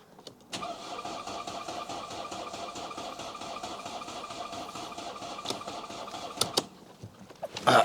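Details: Mercedes C-Class, just refitted engine, fuel pump heard priming through the filter, spare battery: cranking drags evenly for several seconds without a single fire, then stops; sounds like a tired battery. Cause suspected, not confirmed.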